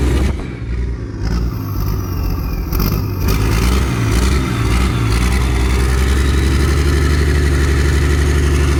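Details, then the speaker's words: Worn-out Perkins 6354 turbo diesel, after oil-leak repairs and a bypassed cooling system: deep even rumble rising with revs, turbo whistle spooling up; sounds healthy, smoke thought to be water. "That doesn't sound that bad at all, does it? No. You can hear that turbo spooling up as well."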